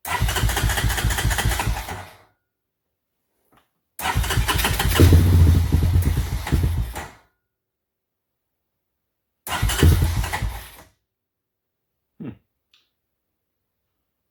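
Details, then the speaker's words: 1993 Honda TRX 300EX carburetor with a size 40 idle jet replacing the original 38, air box off: engine catches in short bursts, stumbles and dies after a couple of seconds, idle raised too far; still not running right. "bumped up the idle more than I should have to something still not right so I'm gonna pause for right now reevaluate and come back at it"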